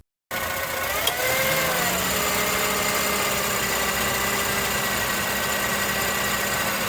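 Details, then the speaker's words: 2005 Acura TSX at idle: thin squeaky chirp from the belt side, occurring on initial acceleration and when turning the steering while stopped, louder with AC on; owner suspects pulley bearing or serpentine belt, testing with water spray. "It occurs on initial acceleration and when I turn the steering wheel while I'm stopped. It's like a chirping or a cricket noise. And it gets noisier when I have the AC on."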